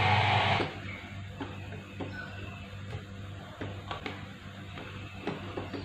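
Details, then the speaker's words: LA4440-based 12 V amplifier, customer complaint of one channel breaking up: music on a speaker with scattered sharp crackles and pops on one channel, worse when volume is turned up, fine when turned down; fault traced to the IC, before repair. "ඔයගලන්ට ඇහෙනවා ඇති කැඩින් කඩ ශබ්දයක් ඇහෙනවා. ඒ කියන්නේ එක පැත්තක් ඒ කියන්නේ වැඩි කරපුවාම තමයි මේ ප්‍රශ්නේ ඉන්නේ. අඩු කරපුවාම හොඳයි."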